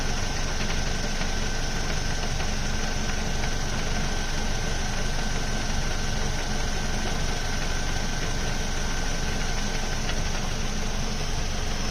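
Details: Ford Focus mk2 2.0 Duratec petrol with MTX-75 gearbox: steady, busy rattle at idle through the low drone, disappearing when the clutch is pressed; not flywheel or release bearing, clutch fully replaced but noise remains.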